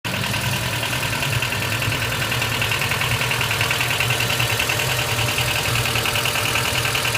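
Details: Honda Step WGN RG2, 2005 (Heisei 17), abnormal engine noise at idle: steady idle with a light metallic ticking repeating about three times a second on top. Cause unclear.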